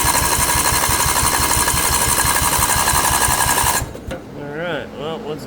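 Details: Craftsman II lawn tractor with swapped newer engine, solenoid jumped because key switch is bad: steady even cranking chug about three beats a second for nearly four seconds, never catches; cranks, no start, owner suspects solenoid not getting power.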